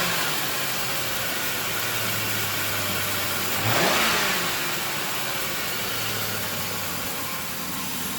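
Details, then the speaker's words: 2004 Ford Crown Victoria LX Sport V8 just after starting, with a previously dead battery and a slightly squeaky tensioner: a smooth, even idle with one quick throttle blip that settles cleanly back down. It runs healthy. "It starts, runs, and drives beautifully. And I love about these older cars."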